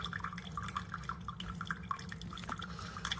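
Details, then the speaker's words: Chefman single-serve K-Cup/ground drip coffee maker warming up and brewing: soft drips and gentle gurgling over a low hum, quieter than a Mr. Coffee, a normal quiet brew cycle. "Well, it definitely smells good. It's quiet. It's actually quieter than this one. It's quieter than the Mr. Coffee."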